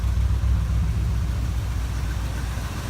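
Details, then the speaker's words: 1965 Ford Thunderbird engine idling before removal for rebuild: low, lumpy idle with soft rhythmic chuff at each firing pulse from a ruined gasket at the back of the exhaust manifold, heads also leaking; exhaust manifold gasket leak. "leaky heads outfit though right here the back of the exhaust manifold are you ruined that gasket"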